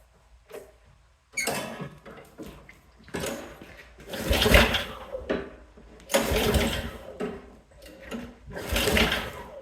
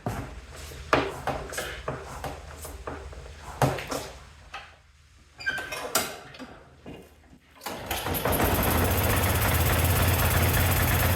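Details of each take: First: Yard-Man snowblower that won't start: repeated pull-cord cranking bursts, each dying without catching; later traced to a bad carburetor, with carburetor, spark plug and primer bulb replaced. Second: Yard-Man snowblower after new carburetor, spark plug and primer bulb: several pulls with sputters, then catches and settles into a steady even drone; now starts and runs normally.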